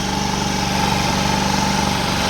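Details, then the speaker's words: Old GY6 scooter started after exhaust, engine cover and fan shroud refitted and new battery installed; small engine ticking over at a steady, even pace, no misses or knocks, no exhaust leak felt; healthy idle. "started right up can't feel any exhaust leak necessarily but I do feel air from that fan coming out of there"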